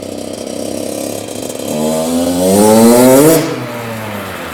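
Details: 2001 Honda CR80 two-stroke after cylinder head, studs and gasket repair for a head coolant leak; no leaks from head bolts or hoses. Crisp note climbs smoothly with throttle and drops back cleanly, no misfire or rattle; normal revving.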